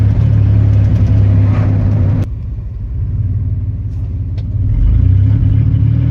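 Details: Chevy 4.3 V6: deep, uneven chugging about four times a second, with a drop in loudness midway before it recovers; the engine is missing.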